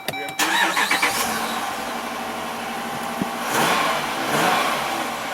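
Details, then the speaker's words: 2012 Jeep Grand Cherokee Overland with Hemi V8, intermittent no-start with no fuel pump or pressure: with the fuel pump run by scan tool actuator test, engine cranks briefly, catches and idles evenly with light revs, starting and running normally. "so that starts and runs."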